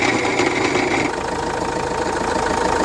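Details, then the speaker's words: Renault Master 2 diesel van, 306,000 km, smoke and bad smell from engine bay; rough uneven run with rattling, chattering knock; crankshaft pulley disintegrated and belt cracked. "piste bir koku geldi a o 306000 de ülkemin güzel insanları ve krank kasnağı dağılmış bıçaklamışlar yaklaştırıp kayış çatlamış"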